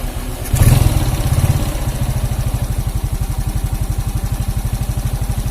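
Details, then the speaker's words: Suzuki Shogun 125 motorcycle, hot after 5–10 minutes warm-up, smooth when cold: rough uneven idle with a rattly knock despite valve and cam chain tensioner adjustment; connecting rod knock. "mungkin teman-teman dengan reaksi ini ketika waktu mesin panas bunyinya ngecek kretek-kretek kayak gitu ya"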